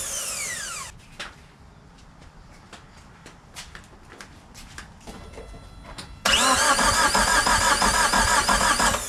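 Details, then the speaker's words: Suzuki Samurai with 1.6 VW turbo diesel after oil change, cranked without starting to build oil pressure before priming injectors: even starter whir about three turns a second, no firing; normal cranking. "we're gonna give it a few turns kind of bring some oil pressure up"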